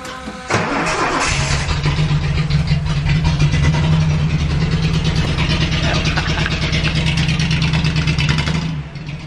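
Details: Datsun 280Z after bypassing the fuel pump relay and wiring the pump directly. Brief cranking catches within a second, then the engine settles into a strong, steady run with a few revs, starting normally.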